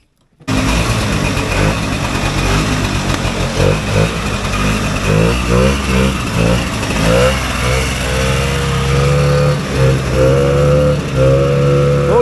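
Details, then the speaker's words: Vintage single-cylinder two-stroke race sled on test revs with a wavering, stumbling pitch that won't climb cleanly; it is doggy and ran better when first built. Owner partly blames the weather; bogging from a worn clutch and over-rich carb. "well well that sucked yeah so when we first built it it definitely worked a lot better than that um I think it's partly the weather today"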